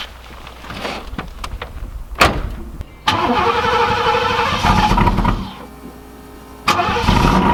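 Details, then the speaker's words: 1991 Pontiac Firebird Formula WS6, stock TPI 305 LB9, 700R4 automatic, first cold start on day two. Takes a couple of tries, catches, sags quiet, then fires again; hard cold start, cause unclear. "all right so it's day two I'm gonna go for a little Drive in the car is the first cold start"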